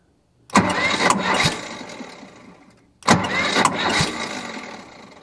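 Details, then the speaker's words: JLG 40H diesel man-lift, cranking before the fuel system was primed: two short cranks where the engine catches just enough to kick the starter out, then stalls. Owner suspects it is a fuel-priming issue rather than the starter. Hard starting. "it almost seems like the way the engine's trying to fire it like it catches just enough to kick the starter out but then it stalls out again"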